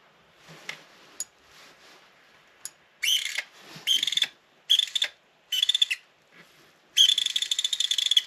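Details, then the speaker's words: PSP 3000 Slim loud UMD drive loading a disc: repeated high-pitched squealing bursts of half a second to a second as the disc spins up. Dry drive motor and laser rail, fixed with silicone oil on a cotton bud. "That does not sound good. So, I think what I'm going to do is put some oil on them contacts."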